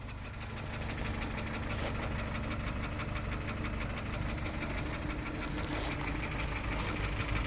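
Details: Kia Optima 2.0 engine: loosely regular knocking about three a second over a rough idle; definite knock, source unclear.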